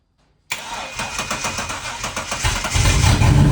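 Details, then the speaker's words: BT1 VN Commodore 3.8 V6, first start in 7 years, running on sprayed brake cleaner with no fuel tank and a jump pack on a weak battery: starter churns two seconds, then it catches into a loud rough idle with a small backfire. "Oh, yeah, they call me. All right, we're in business. Small backfire."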